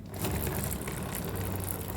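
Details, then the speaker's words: Ray 50 Turbo scooter after lubricating its dry chain at the sprocket base: steady low engine drone with quiet, even chain run, no rattling; noise when riding fast was just a dry chain, now gone. "Então acabou o barulho. Era só isso o barulho da motinha."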